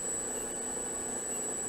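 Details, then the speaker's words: Harbor Freight 44142 mill/lathe motor converted to three-phase, running at 120 Hz after reassembly with brand-new bearings: a thin high-pitched bearing-like whine over an even hum; owner suspects the cooling fan. "has that like bearing failure wine but both bearings are brand-new haven't been abused there is a fan in here so I'm wondering if that noise is from the fan"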